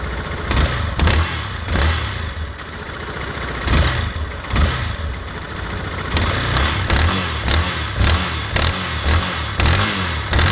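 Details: Yamaha Fazer 250 motorcycle: sharp snapping clacks on each rev, coming closer together as revs climb, louder on cold start and when accelerating, as if the engine will burst. Clacking noise of unknown cause.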